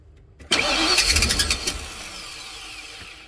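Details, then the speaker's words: 2000 Ford E350 Super Duty van after replacing idle air control valve; starter cranks in quick uneven bursts, engine never catches; crank no start, owner next suspects fuel pump and filter though gas can be smelled. "well that didn't work so um I guess we just got to keep going from there"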